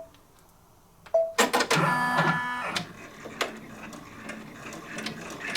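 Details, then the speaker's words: Brother PR1055 multi-needle embroidery machine after clearing a bird's nest and trim sensor error; one short beep, then quick, even clatter of steady stitching, fixed and running normally. "sounds good all good yay that's how you fix that"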